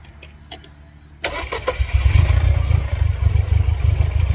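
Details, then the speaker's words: 1999 Mercedes-Benz C230 Kompressor W202 with a flashing check engine light: cranks and catches, then an uneven, lumpy low rumble with no steady idle, stalling under load when put in reverse. "Engine stalled under load, put it in reverse, stalled right out."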